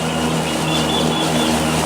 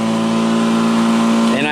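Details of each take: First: Two-year-old Black & Decker battery-powered self-propelled mower in heavy grass, battery showing one bar: motor hum sounds strained and sagging, barely running, near stalling; owner suspects battery ageing, since it loses power about halfway through each mowing session. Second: Black & Decker battery mower, third year, new replacement battery, self-propelled mode, finishing the yard: steady electric hum and even blade whir, pitch climbing near the end; hasn't slowed, earlier problem was the weak battery.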